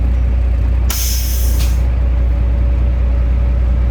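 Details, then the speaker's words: Kenworth semi truck at diesel idle with the air bags found down though the switch wasn't down: a sharp, second-long hiss of air escaping from the suspension air bags, something broken. Air suspension air leak. "it's weird because the switch isn't down that's why it's making that noise"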